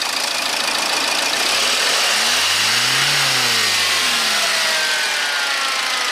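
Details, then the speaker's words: HDI diesel after an EGR blockage was cleared, revved and released: a clear turbo whistle rising and falling, newly audible since the blockage was removed, with no scraping. Normal turbo spool. "never used to be able to hear the uh never used to be able to hear the turbo whiring away but since that's all cleared out you can hear the turbo wind it up and down"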